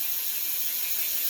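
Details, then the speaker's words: Mondraker Podium RR SL mountain bike wheel after removing 10 g imbalance and balancing: even, steady freewheel hiss with no rhythmic thump or wobble; very slight vibration remains, attributed to a slightly deformed tubular tyre. "beaucoup moins voir pas du tout il y a une très légère vibration on l'entend en bruit"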